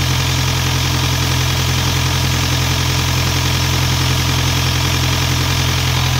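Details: Isuzu 4LE2 diesel air-compressor engine, which previously would not start (others blamed electronics; smoke came from cylinder 4 intake), now after head work runs at steady diesel idle clatter, regular pulses about 3.5 per second, no misses.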